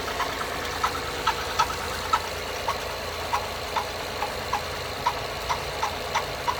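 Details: 2011 Acura TL 3.7 SH-AWD V6 at cold idle: a sharp tap about every third of a second over a quiet hum. It began a few days ago and is less noticeable once warmed up; the dealer could not find the cause.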